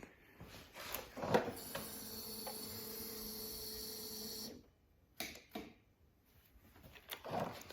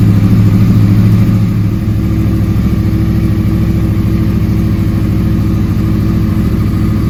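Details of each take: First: 2009-2014 Yamaha R1 crossplane with new starter relay, solenoid and lithium battery: single loud relay clack each button press with no cranking; starter not turning, owner suspects internal starter damage, not confirmed. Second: 2009-2014 Yamaha R1 crossplane engine after starter replacement, cold start after sitting about 2 days at about +5 °C: catches quickly into a steady, even offbeat idle, no grinding, normal cold start idle.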